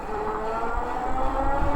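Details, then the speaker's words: Magicycle Cruiser 26x4 fat-tire e-bike, 750W rear hub motor, 52V 15Ah battery, 22A controller, riding throttle-only in a range test: thin, steady high-pitched brake squeal over wind rumble. The brakes are noisy and need adjusting. "these brakes are noisy i have to adjust those when i get back"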